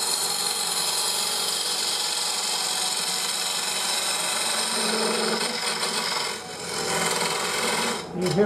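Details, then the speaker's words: Lathe bowl gouge on cross-grain work: a harsh rasping scrape with a fluttering buzz as the tool crosses the grain; tool chatter, fixed by taking smaller cuts with the tool held on the rest and lowered a bit. "that vibration uh as I come across the engine. Take smaller pull the tool on the tool [Music] rest. Lower the tool a little bit."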